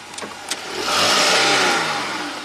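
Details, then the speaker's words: 2014 Jeep Grand Cherokee V6, 202k miles, hard takeoff from stop in Drive: two sharp pops under driver's seat then engine revs; stretched chain in one-speed AWD transfer case jumping teeth. "sounds like it's coming right from under the driver's seat what the heck could that be my first suspicion is something to do with the transfer case"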